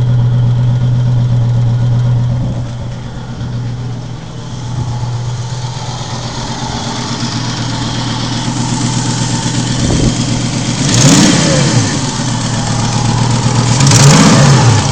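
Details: Volvo 850 after a head replacement following a timing belt failure: rough, uneven idle with a puffing exhaust beat that stumbles through three short revs, misfiring, exhaust leak and low power; owner suspects cam timing off by one tooth.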